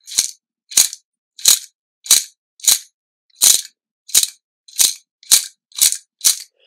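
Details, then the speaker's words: Rapco dry aircraft vacuum pump, an overhaulable unit, turned by hand. Crisp dry rattles come in bursts about every half second with each turn as the vanes touch the housing; this is normal. "it sounds like to me on this end there's a bunch of things rattling in here and that's normal actually that's a very normal thing to hear all that rattling in there"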